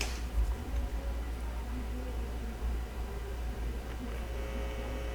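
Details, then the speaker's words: SBE Model 34 SSB transceiver: steady low 60 Hz mains buzz through the speaker when a finger touches the audio amplifier input, showing the audio amplifier section works. "First off, if you can hear that buzzing, that's that's a good sign. That audio amplifier is actually picking up 60 Hz noise. from going through me into the the base of it."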